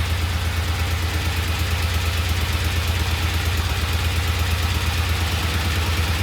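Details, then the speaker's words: Vintage Norton motorcycle at idle, second start, after adding oil to the primary to cure a clacking noise; steady, even low thump with no clacking or knocking, engine and primary drive running smoothly. "Let's put some oil in the primary and see if the noise goes away. That sounds so good. Get rid of that clacking noise."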